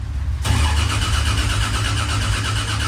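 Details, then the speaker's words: Freshly built 2JZ engine in a Corolla, cranking with cam angle sensor and everything unplugged to build oil pressure before first start; even starter rhythm, no clatter or grinding, normal cranking. "so everything's unplugged uh cranking cam angle sensor and everything so you should just crank with any luck if the timing's"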